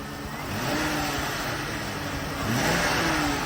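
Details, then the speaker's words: Flood-damaged (Hurricane Ian) vehicle with check engine light on, engine bay: two throttle blips pick up smoothly and settle without misfire, knock or rattle; sounds healthy, running fine despite heavy corrosion. "it seems like it's running fine"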